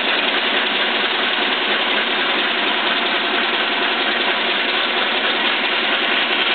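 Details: Biernatzki milling machine after fitting a new drive shaft, test run; loud even gear hiss and whir without knocks or surges, quieter and smoother than the original shaft; table feed gearbox switch is separately very noisy.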